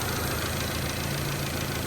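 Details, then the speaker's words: Honda CRX petrol engine idling with the correct PCV valve fitted, replacing a wrong one that caused a vacuum leak and idle surging: smooth, steady idle with only a faint intake hiss and less vacuum noise. "Here's the known good PCV valve. That's for this vehicle. not pulling as much as the vacuum as the other one. Can't hear it as much."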